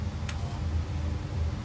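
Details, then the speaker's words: NTI GF200 boiler checked for a furnace fan failure. At startup the white diverting valve motor gives a low, steady hum with vibration felt by hand, showing the motor is working normally. "You can hear the vibration, and of course you can feel that with your fingers."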